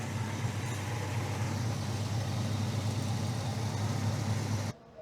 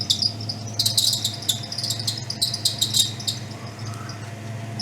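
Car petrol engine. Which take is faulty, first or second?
second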